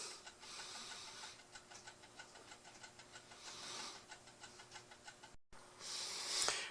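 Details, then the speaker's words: Mechanical timer that switches off a 40 W soldering iron, running in a quiet room: a light, even ticking of roughly three to four per second as the clockwork runs down normally. "stay safe that's what you got to do you can hear it ticking"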